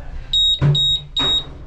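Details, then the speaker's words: Hoshizaki ice maker not making ice, control board on Ice: three high even beeps, freeze timer alarm meaning freeze cycle exceeded timer setting two cycles in a row, ice likely not dropping. "so type of alarm three beeps it says freeze timer freeze timer setting for two cycles in a row"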